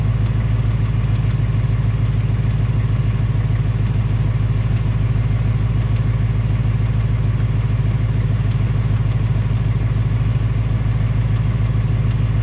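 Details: 2018 Ford Mustang GT, second engine with only 1200 miles, steady V8 idle with a light regular tapping about three per second over the rumble; source unclear, piston slap or Coyote tick suspected; Ford installing a third short block.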